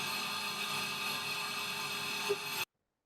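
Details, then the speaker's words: Milling cut run at a new spindle speed chosen after tap testing. It gives a steady, even high-pitched hiss, stable and quiet, with no chatter squeal. Changing the spindle speed changed how the tool vibrations relate to each tooth, which removed the self-excited chatter. "uh obviously a much more stable and quiet cut"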